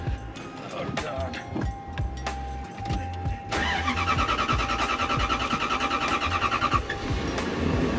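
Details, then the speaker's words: Lexus LS400 starting after a new fuel pump with a generic filter was fitted: the pump is surprisingly quiet, then a short crank and the engine catches promptly to a steady, even idle. Normal start. "why is that fuel pump so quiet oh my God I didn't hear anything wow it starts right up"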